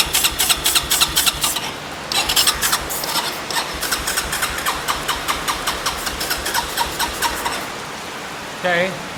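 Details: Yamaha ATV on jump box, fuel valve on reserve: steady rapid starter whirring with rhythmic cranking pulses but engine never catches; no-start, owner suspects fuel not reaching the carb.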